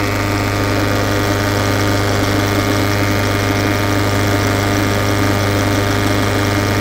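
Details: Peugeot 508 SW 2.0 HDi 163hp diesel, 2013, at idle: a steady low drone with a faint high whirring through it, an abnormal engine noise whose cause is unknown.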